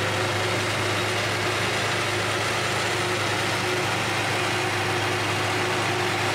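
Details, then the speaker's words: 1978 Datsun 280Z idling while warming up after replacing the fuel injectors and fuel filter, hoping to cure fumes and a loud engine-bay ticking. A steady, even, smooth low hum with no knocks or misses; the engine runs cleanly. "all right so while the car is warming up over there it seems like it's running okay it sounds good"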